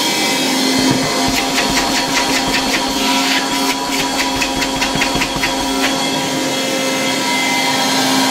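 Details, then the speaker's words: 1960 Alfa II vacuum cleaner with SK-5 motor, run briefly on full mains despite very worn brushes; steady mid-pitched motor hum with strong airflow rush and some handling clicks, running evenly with good suction. Brushes still need replacing. "A very nice vacuum cleaner, with really good suction power. I could easily vacuum with it here in the workshop."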